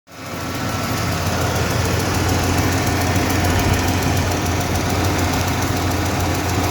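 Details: 1995 Ford F-150 5.0L V8 at idle: light, fairly regular ticking, roughly three to four a second, seemingly from the driver's side of the engine; source not yet found.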